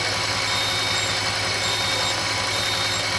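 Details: 2008 Audi S8 5.2L FSI V10 at idle: a thin, high hissy whistle rides over the engine, a vacuum leak caused by a faulty throttle body gasket.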